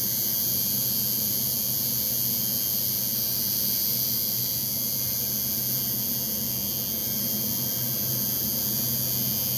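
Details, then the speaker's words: Cheap $7 Chinese coil tattoo machine giving a thin, light, weak buzz at 100 cycles per second and 39% duty after angle and tape adjustments; out of tune at low duty, so further changes are needed. "that's 100 gps 39 duty all right you have to change something else"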